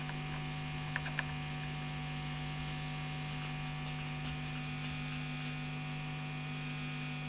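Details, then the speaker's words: Marshall JTM45 MkII Model 2245 amp, chassis open, during bias adjustment via bias pot, microphone near the speaker: loud steady low hum with buzzy edge and small clicks; mains hum varies with the pot, with a null point. "Yeah, there is a kind of null point there, so that's a bit more hummy there, and there, and that's a kind of minimum point."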